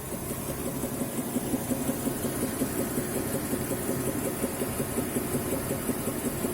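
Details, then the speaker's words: BMW E70/E71, N55 engine, 8-speed automatic, phone mic at the front fender with the bonnet closed. Dull, deep knock about three per second at warm idle after 10+ km driving (around 108°C), quickening with revs. Unclear whether engine, gearbox or transfer case. Knock when hot. "стоишь на холостых и его слышно он очищается если дать оборотов при поднять обороты то он начинает учащаться этот стук"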